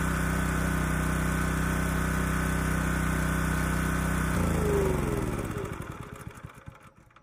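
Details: Honda EG2200X generator, early-to-mid 1990s, no load, after carburetor cleaning with low-speed mixture screw reset to 1.5 turns out: steady hum with a slightly lumpy, uneven beat before winding down; air cleaner ruled out as a restriction.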